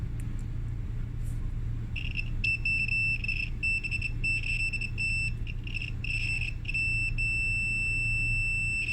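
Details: Spare dryer part tested with a multimeter before installation: clear high-pitched beeps in short repeated bursts over a low rumble; continuity confirms the part is good.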